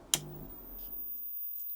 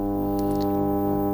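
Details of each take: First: Ferguson TX90 TV/monitor after replacing the faulty 12 V regulator, which had been putting out 16 V. One switch click, then near silence with no loud hum; 19 V in, 12 V out, and a snowy picture. Fault fixed. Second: Ferguson TX90 TV/monitor before repair, switched on with the mains transformer live: a loud steady low hum of fixed pitch that the volume control can't turn down, with a hum bar on screen. The 85 V rail reads fine; the fault was later traced to a failed 12 V regulator outputting 16 V.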